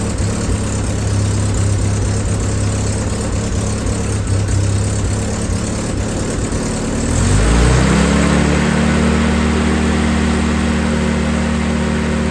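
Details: Willys M38A1 after a tune-up for a small miss (new distributor cap, rotor, condenser, points adjusted): engine catches cleanly about seven seconds in and settles into a steady, even idle with no stumble or miss. Normal start and idle.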